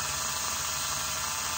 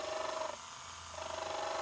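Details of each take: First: Rebuilt Elson-USA watchmaker's lathe, belt on, first brief test run through an inline on/off switch. A smooth, even high hiss and hum from the motor, steady with no knocks or rubbing, running true. Normal motor run, "a great first start". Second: Rebuilt Elson-USA watchmaker's lathe on its first cut, hand graver turning a 1/8-inch brass piece: steady hum with a buzzy ringing squeal on each cutting pass, dropping away between passes; operator calls it chatter, cause suspected, not confirmed.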